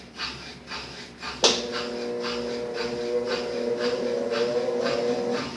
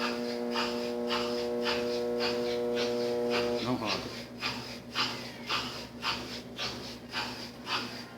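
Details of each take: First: Brastemp 7 kg washing machine with auto-heating, after capacitor replacement: a click then a smooth steady motor hum at even pitch with no growl or straining, running perfectly; earlier the motor only droned without starting. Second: Brastemp 7 kg washing machine with heating, set straight to spin with the pump on: motor gives a steady buzzing hum for about four seconds trying to start but never spins up, then cuts.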